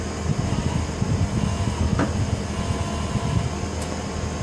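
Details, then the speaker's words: EasyFire EPI EF3801 12V DC pellet stove, refurbished (cleaned, top painted): front blower kicking on as heat starts coming out, a steady, even fan whoosh with a low hum and no rubbing, ticking or wobble; normal blower operation. "Oh, there's the front burner, front blower. Hear that kick on? Feeling heat coming out of here now."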